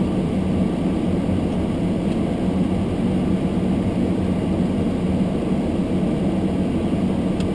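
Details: Almost-new Toyota Prius hybrid, sub-zero cold with fogged windows: demister fan turned up high on windscreen, steady even rushing air with low hum, exaggerated by a nearby camera; quiet in-cabin, normal fan.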